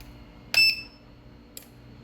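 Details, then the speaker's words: Universal (China) AC PCB control kit powered on the bench: beep at switch-on, then sharp electronic ticks roughly every half second with nothing else running; ticking caused by a faulty display IC on the board. "इसके display का ये वाला IC ख़राब है, ठीक है।"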